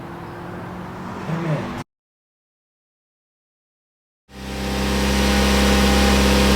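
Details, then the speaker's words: First start of a rare Mitsubishi Evo 8 MR after a motor swap: it catches after a pause and settles into a smooth, even idle with a steady low hum, no knocks or misses, and no leaks. Normal idle. "so here she is boys no leaks runs good Idol's good"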